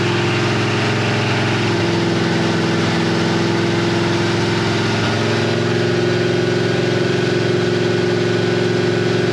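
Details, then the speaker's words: 1964 Ford F100 with Crown Vic swap and engine swap, first start idling in park: tinny metallic buzz on the V8 firing beat, first thought to be rubbing but confirmed as the exhaust header collector flange rattling; headers also leaking. "I do hear the collectors rattling which I originally thought was like something rubbing but it's definitely the collector flange is rattling"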